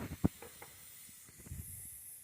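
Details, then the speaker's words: 110cc kids quad revived after 2+ years outside: faint steady hiss after light knocks as air escapes from the freshly inflated tire; tire air leak, later plugged. "well I just put air in the tire and that don't sound good"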